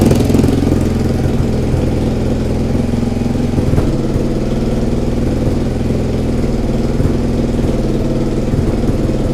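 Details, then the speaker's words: Suzuki SV twin after engine rebuild and corrected timing, starts instantly: even steady twin-cylinder idle with no misses, knocks or hunting; runs much better, a small exhaust leak at the top remains. "Donc elle démarre au quart de tour, ça c'est plutôt cool. Ça sonne beaucoup mieux."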